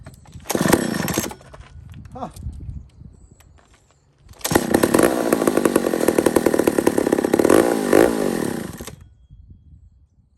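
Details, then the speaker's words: Old McCulloch 1-71 chainsaw after a carburetor upgrade, started after priming: pops once, catches, runs ragged about four seconds, then dies; owner says it sounds wet, plug likely wet, no gas in the carb and it was over-primed. "okay there it goes okay what was that all about interesting that sounds wet i think the plug's pretty wet after that"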